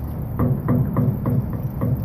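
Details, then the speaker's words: Old rooftop unit (RTU) blower motor with a bad internal bearing: a low, rhythmic thumping growl, about three or four beats a second; no grease fitting was ever installed and the motor will die soon; belt also glazed and cracking. "that's a bad bearing inside the motor if you listen closely bearing is bad also"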